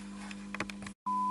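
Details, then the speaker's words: Stereo amplifier phono preamplifier section, audio generator test signal fed into the channel being checked: low steady hum throughout, then after a short dropout a clean pure tone over it; hum is normal because phono signal levels are so low. "And you can't be like, this is the phono section, so you're going to have a bunch of, you see, like hum here too, but you can't worry about that. That hum's there because these signal levels are so really low."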